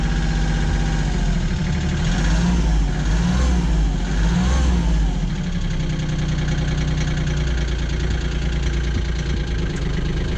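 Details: Kioti CK20HS diesel tractor, after glow-plug warm-up and cracking the injectors to bleed air, suspected of losing fuel prime overnight: steady diesel rattle at idle after a couple of short revs, even clatter, no hunting; normal idle.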